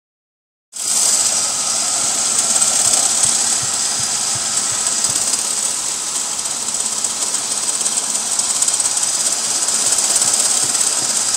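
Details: Chevy Beretta with GM 3.1 engine running with a fast, loose rattle over a hissy note from a failing AC compressor, which seized soon after, throwing sparks; fixing it solved the problem.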